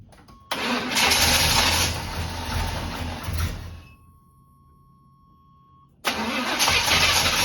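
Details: Abandoned barn-find square-body Chevy truck at about zero degrees, fuel pump pumping and carburetor being primed, old filter possibly blocked: starter churns steadily for about three seconds, pauses, cranks again; cranks but won't start.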